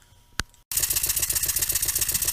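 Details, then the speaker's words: Small Stuart model steam engine run on air on a plywood bench: quick even chuffing about twelve beats a second with a knock each stroke, from poor balance, amplified by the bench; still slightly stiff, new. "can hear the knock and some of that noise is forces being coupled into my work that the plywood bench will amplify the noise"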